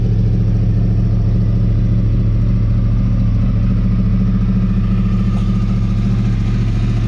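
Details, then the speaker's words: Yamaha R1 with crossplane four-cylinder engine, after repairs: even, lumpy crossplane burble, steady and clean with smooth pulses and no ticks or knocks; healthy idle and revs. "just can't beat that sound to me in my eyes it it has like the classic sound of what the Ducatis the original 996 series Ducati sound like"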